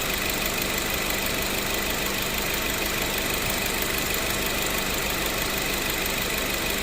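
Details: Mazda3 with about 255,293 km, idling in the sun with the AC on after replacing AC refrigerant hoses, expansion valve and O-rings and bushing the compressor neck; cabin 8–9 °C, compressor cycling normally, steady fan hiss and no knocking.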